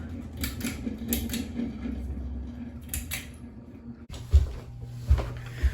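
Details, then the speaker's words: Heritage hugger ceiling fan on high speed in a basement: a steady low buzz under the motor hum that persists however tightly the glass is tightened; loose glass shade rattling on its fitter. "And doesn't matter how much I tighten the glass, it'll still freaking buzz. Like, it's really annoying."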